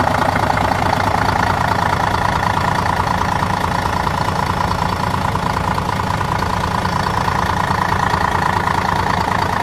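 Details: Setra S 315 coach (fleet no. 83, six-cylinder diesel) at idle: steady, even diesel clatter with a constant rhythm and no misses or knocks; healthy idle.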